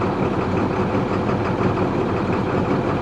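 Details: DT466 diesel beverage truck on a cold morning after the fuel leak was found: it started much better and now gives a steady, smooth low diesel idle rumble with no misses, stumbles or knocks. The fuel leak is believed to be the cause; valve replacement is pending.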